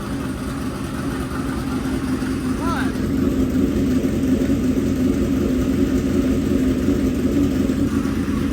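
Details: Freshly built dirt-track race V8 at fast idle: a loud, steady, smooth drone with no misfires or knocking. Normal running.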